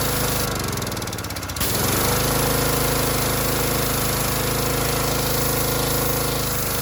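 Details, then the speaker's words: Harbor Freight Predator pressure washer, bought as junk, whose unloader had been misassembled, possibly damaging its seat: steady engine drone with a brief hard knocking burst as the trigger squeezes; unloader cycling, needs adjusting down at the bolt. "so that was the unloader kicking so that was the unloader kicking I might adjust it down a little on that on that bolt"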